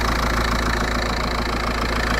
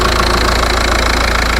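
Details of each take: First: VW Passat B5.5 1.9 TDI diesel idling with no turbo boost, checked for a vacuum leak; a rough, puffing chuff over the clatter comes from a worn, leaking exhaust flex pipe, with no vacuum sucking heard. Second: VW Passat B5.5 1.9 TDI at idle, checked for the vacuum leak behind its no-turbo fault: even diesel clatter with no sucking or hiss from the vacuum pipes. The exhaust flex pipe is noted as worn. The idle sounds normal.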